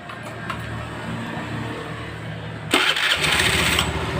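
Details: Honda Vario 110 scooter after transmission ratio-gear repair (it had a very harsh gearbox noise from something broken in the ratio gears): quick start to even idle, then clean sharp rev with no grinding or whine from the drive; sounds healthy.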